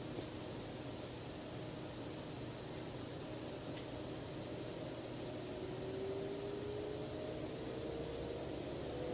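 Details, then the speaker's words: Enermax NeoChanger PC water-cooling pump, microphone as close as possible: soft hiss with a faint tone climbing as it ramps from 1500 to 4500 rpm, its loudest; quiet, healthy pump. "and there goes from 1500 to 4500 and that's the loudest is going to get so yeah as you can see as far as acoustics go it's not all that terribly loud"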